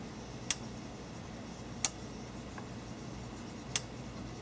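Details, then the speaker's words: Extech 382270 bench power supply, channel two output relay actuated amid erratic constant-current adjustment; sharp isolated clicks a second or two apart over faint hum, each very loud, relay suspected faulty. "it's very loud it's very loud"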